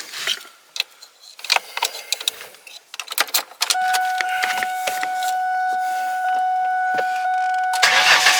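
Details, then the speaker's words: 2002 Ford Mustang with the fuel pump inertia switch button popped up to relieve fuel pressure before a fuel pump replacement. The starter cranks steadily for several seconds with no catch or firing: a no-start from the fuel cutoff. "The button pops up. Now, when we crank it, it won't start."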